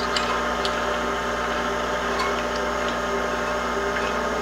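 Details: Imported 4x6 inch horizontal bandsaw after a blade tracking adjustment (tension eased, blade just touching the back): steady, even motor and blade hum with no rubbing or scraping, so the blade is tracking properly.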